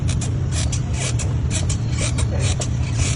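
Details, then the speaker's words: Toyota Fortuner with a squeak in reverse gear: turning the propeller shaft in the reverse direction under the car gives sharp, high squeaks two to three times a second from a seized universal joint. "sesuai dengan keluhan, ketika kita putar poros propeller ke arah mundur, ini terdengar bunyi decit ya."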